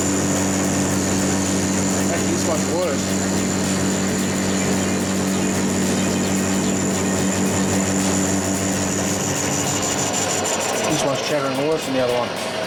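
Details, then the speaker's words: Lathe facing the back of a differential crown wheel, smaller-radius tool fitted for slightly bigger cuts: steady buzzing ring wavering near cut end; tool chatter, no better after tool change. "so I might be able to take slightly B Cuts without without it chattering quite so bad so um I start train this to I'll bring you back as you can hear it's no better"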